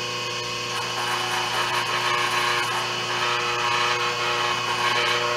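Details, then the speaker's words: 5 HP inverter-rated three-phase idler motor on a 5 HP rotary phase converter control box, running at 60 Hz on the bench, legs reading 236 and 247 V: smooth steady hum with constant whine, no labouring, running normally. "this motor doesn't seem to be laboring doesn't seem to be having any issues at all"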